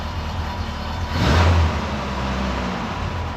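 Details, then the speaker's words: 1990 Isuzu pickup after a lost cylinder repair, running with the original mechanical fuel pump refitted because the new one wouldn't pump: smooth idle, one clean quick rev blip dropping straight back, no knock or stumble; normal revving. "That's crazy. It runs like a new car, though, so I'm happy for that."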